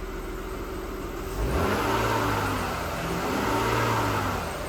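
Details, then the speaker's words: 2003 Audi A6, grandmother's car, sat about six months with old fuel, cold start: steady hum then clean rise and even fall in revs, no stumble; healthy engine revving, "great running motor." "man that thing sounds so good that's a great running motor you know it"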